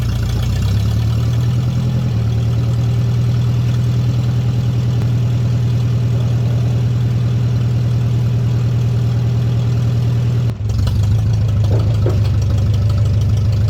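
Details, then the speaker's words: Tractor, the 504, at even idle after the muffler was knocked off while pulling another tractor through a shed, with the tube broken off the manifold: a deep, loud, unmuffled bark with a low thump. Open exhaust. "the muffler got busted completely off. The tube broke off the manifold and everything, so this thing's loud now."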